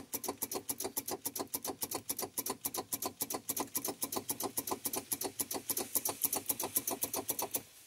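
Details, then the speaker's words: Volvo VNL truck with Cummins ISX diesel that won't start, battery voltage present: fast steady starter clicking, about eight a second, engine never turns over; owner suspects a failing starter. "we got battery voltage going to have to order a starter I believe I just need this thing to run I can hear the starter clicking down"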